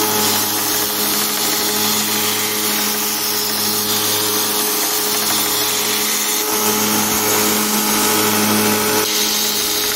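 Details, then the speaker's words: DIY 2x72 inch belt grinder, 2 HP motor on VFD: loud motor whir with a repeating thump about three beats a second as a step over half a millimetre uneven strikes the workpiece. "okay that hammer ing noise you hear that's the that's this here I mean it's like a more than half a millimeter difference and every time this hits the part it does make a hammering noise"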